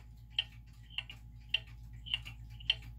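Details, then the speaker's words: German time/strike pendulum clock after leveling and adjusting the pendulum crutch: crisp ticks land evenly, about one every 0.6 seconds, in a quiet room, so the clock is running in beat. "all right so now we've got the clock that's in B we think it's pretty level"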